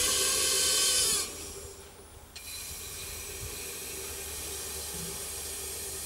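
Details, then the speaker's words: Rivacold refrigeration unit, compressor tripping on thermal overload, gauges reading zero, pressurised with nitrogen: loud steady hiss of gas escaping for about a second, then dropping off; leak suspected at a hot gas loop rubbed through in the condensate tank. "happens i can hear that coming out somewhere i think that might be in the um condensate tank there's a tank here where the water drains from the freezer when it defrosts there's a hot gas loop in there quite work it's probably rubbed through"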